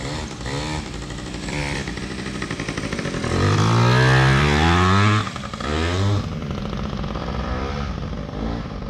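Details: PW80 two-stroke minibike, repaired, with a new rear tire and tube, described as pretty hot: crackles at idle, revs up cleanly and drops back without bogging or misfiring; running right.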